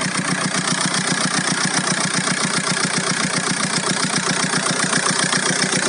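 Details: Golf 4 1.9 TDI 115 4Motion diesel at idle: sharp, evenly spaced tick about two and a half per second over the diesel clatter; owner asks what the strange engine noise is, cause needs tracing.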